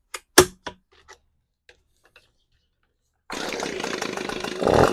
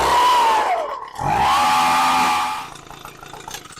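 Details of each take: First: Echo PB-250 two-stroke leaf blower after coil replacement and carb mixture adjustment (screw set from about 3/4 to 1 turn out): a few handling clicks, then it fires, idles evenly and revs cleanly with a crisp, steady buzz; running well now. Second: Echo PB-250 two-stroke leaf blower, new coil, spark arrestor clear, starts even without air filter: buzzy revs stall in their climb and settle at the same ceiling, won't go past about mid-throttle; carburetor taken apart next.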